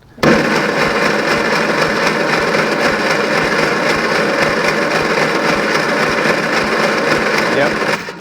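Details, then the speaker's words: 1974 Leyland Mini 1098cc, plugs out, cranked at full throttle for compression test before rebuild for excessive blowby and low power: steady even cranking whir; cylinder 3 reads only 30 psi, poor compression. "Yep. Oh, that one's not good. That's 30 psi."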